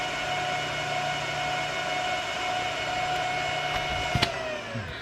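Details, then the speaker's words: 3Com 16-port gigabit switch just plugged into mains: loud, steady high fan whine with a rushing hiss, then winds down when power drops; the fans run far too loud. "quite enough for that so I didn't even need the meter in shot there for you to see that it's incredibly loud so what I'm planning to do is reduce the volume of these fans by either taking them out or cutting the voltage to them"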